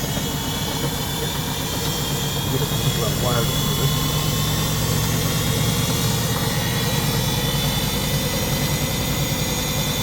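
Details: Front-loader automatic washing machine running with back and top covers off, spin cycle: steady low hum holding even pitch at speed, no knocking or grinding; spin healthy.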